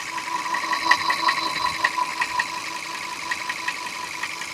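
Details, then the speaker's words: Audi W12 6.3 engine running with light rhythmic knock about two to three per second; abnormal noise from cylinder liner wear with damaged piston skirt, confirmed on teardown before overhaul. "The reason for the abnormal noise is caused by cylinder liner wear. The piston skirt was also damaged."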